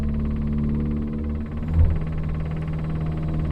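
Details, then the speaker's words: 1982 Renault 9 barn find, off the road since 1994, idling on choke: steady low idle with fast, light woodpecker-like tapping from a noisy electric fuel pump; exhaust blowing, possibly at the manifold; revving drowns out the exhaust blow. "how loud is that fuel pump it sounds like a woodpecker in the air box"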